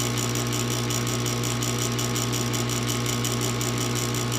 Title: Furnace won't start.